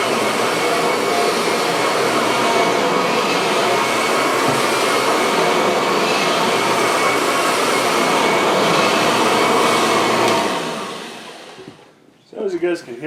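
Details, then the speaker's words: A "Franken-Kirby" vacuum (Ultimate G combined with a G3; base and motor from the G3, spliced cord): a steady, even high-pitched motor roar for ten seconds, then a smooth wind-down at switch-off. It runs normally with no issues. "it runs pretty well there's really no issues and you know its functionality it it's a pretty good vacuum for what it is"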